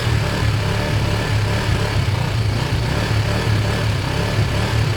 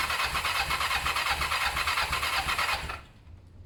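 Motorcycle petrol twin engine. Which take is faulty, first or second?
second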